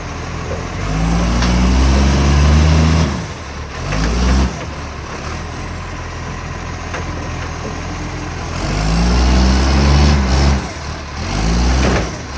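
Heavy diesel revving up and settling, with a loud raspy, chuffing exhaust note under load; sounds like a big exhaust leak.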